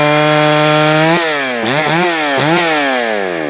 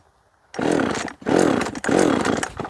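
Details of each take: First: Jonsered 525 chainsaw, freshly fired up and tuned: quick throttle blips rise and fall unevenly, then a sustained high scream in the cut; hesitation and stumbling off throttle mean the low-speed mixture is too lean, so low-side fuel is richened. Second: Jonsered 525 chainsaw after carburetor settings checked (low screw at 1.5 turns): three clean, crisp revs climbing and dropping evenly, no stumble or bog; owner thinks it was previously just tuned poorly; clutch later found backed out; normal running.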